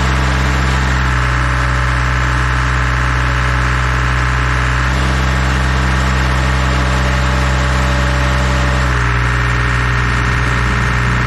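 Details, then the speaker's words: Dual drum vibratory roller diesel engine at idle, just started to warm up after new filters and hand-pumped hydraulic oil refill (slightly over full line), watched for leaks; deep steady even throb, no knocks or misses: normal idle. "We're gonna turn it on, let it warm up. Just let it sit at idle before we attempt to do anything with it."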